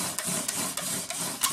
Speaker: rotations it's squeaking which means i don't have enough pressure yet